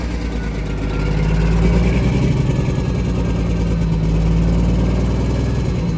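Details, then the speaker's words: Diesel truck after sitting 11 years: loud, uneven surging about three pulses a second with wavering drone; engine position sensor readings low, crank sensor or harness wire suspected, unconfirmed. "I'm telling you, the engine position sensor readings are below. Crank sensor? Or is it the wire that it even plugged in here?"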